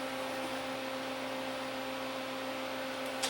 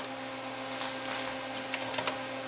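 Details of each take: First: 1984 Sony CDP-40 CD player, long unused, on first eject press: steady motor hum with no tray movement; tray fails to eject, belt probably shot. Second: 1984 Sony CDP-40 CD player after repair of the tray/clamp mechanism: small motor hum and soft clicks as the tray opens cleanly without slipping, then loads and spins; normal tray opening, plays music.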